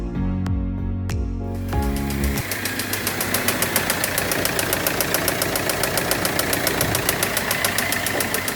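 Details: Audi Q3 that had engine knocking and black smoke: after music, the engine catches and a sharp, fairly regular knock about three to four per second rides over the idle; broken rod bearings had choked the oil passage.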